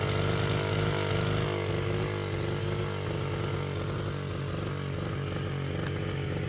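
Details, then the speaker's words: Baja 49cc mini bike, carb cleaned/rebuilt after sitting: small single races at constant high revs with a steady buzzing drone that never settles; won't drop to idle even with throttle screw fully unscrewed. Owner suspects air intake; unconfirmed. "Bike is a Baja 49cc mini bike. It does crank and run, it stays wide open on the throttle, and won't idle."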